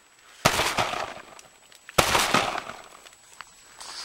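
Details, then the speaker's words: Crawlspace HVAC return duct in a flooded crawlspace: two sharp clattering bursts trailing into loose rattles as debris, like big chunks of drywall, shifts inside the duct. "here is the return side of the duck you can hear that debris rattling around"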